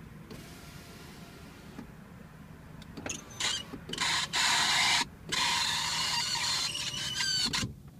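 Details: Mercedes E350 power window: hums quietly going down, then grinds and screeches loudly while going up.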